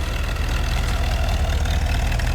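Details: 1977 Mercedes 450 SLC petrol V8 warming up after fitting a second-hand auxiliary air valve (previously idled 1200–1500 rpm cold, near-stalled warm): deep, even rumble at steady revs, no surging or stumbling, before idle screw adjustment.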